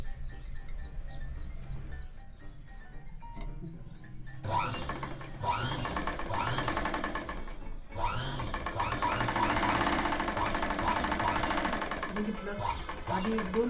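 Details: Sewing machine after home servicing, cleaning and oiling, previously noisy for 2-3 days; after a quiet start, a fast even stitching chatter of about three beats a second; running smoothly and normally.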